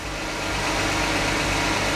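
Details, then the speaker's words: 2008 BMW 335i (N54) idling just after startup following new spark plugs and cleaned ignition coils: steady, even idle with smooth rumble, no misfire or stumble, sounding much healthier than before. "startup on a 2008 335i [Music] wow that sounded really healthy compared to how it wise"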